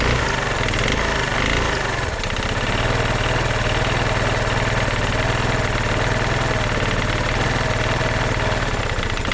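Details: Genuine Blur 220i single-cylinder scooter at idle: rough clattery idle with loose hollow knock each beat, piston slap; compression 90 psi cold, 110 warm, 115 with oil, needs new piston and rings.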